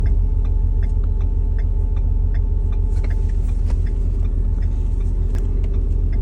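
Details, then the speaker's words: Ford F350 6.7 Powerstroke diesel: steady mid-pitched whine over an even rumble that builds the longer it sits at a stop, persists in neutral, disappears when revved and does not return; source unknown. "if I put it neutral still there and if I rev goes away and doesn't come back"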